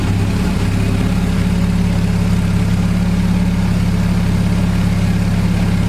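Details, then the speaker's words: 1979 Triumph Spitfire, first run after hooking up the fuel system and a new gas tank. It fires right up into a smooth, even, quiet idle with no ticking or knocking from the engine; it runs normally. "so she is a winner nice and quiet no ticks coming from the engine"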